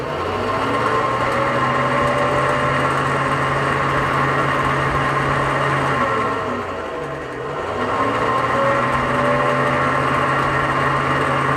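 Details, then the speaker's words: Failing AC condenser fan motor gives a steady whirring hum with a faint metallic edge that dips and recovers; metallic whirring noise, bearing very likely worn, fan may wobble. "If you listen carefully, you could hear a metallic sound. And lastly, when a fan is already making that noise, there's a very high chance that the bearing is toast."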